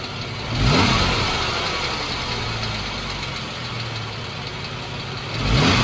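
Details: 2014 Jeep Wrangler 3.6 Pentastar at idle: light rapid ticking over steady idle, quickening with two short throttle blips; owner unsure whether rocker arm or valve tick, not confirmed.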